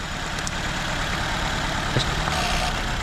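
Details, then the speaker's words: 2004 Nissan Sentra with shaking engine, no misfire codes, only an air-fuel ratio sensor code: uneven idle with irregular stumble and skipped beats; unplugging coils shows cylinder 2 misfiring. "there's no difference on this one so sooner - is the one that's misfiring"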